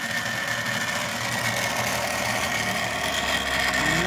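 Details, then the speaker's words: 3D-printed rotor spinning at higher rpm: loud steady rasping hiss with a thin high whine; the shaft point is rubbing the backing plate, and the rotor may be slightly off balance. "oh it's noisy but I'm getting a higher RPM to see if I hold it still really noisy and I don't know why that is"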